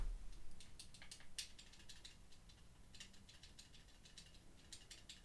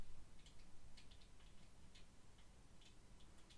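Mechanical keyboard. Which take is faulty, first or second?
first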